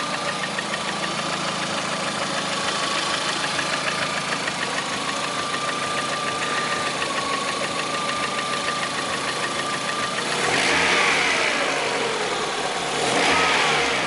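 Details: Lada Priora, 2009, 37,000 km: engine began knocking about 500 km after Suprotec additive was added; steady rapid ticking about three per second at raised engine speed with a thin whine on top, cause unknown.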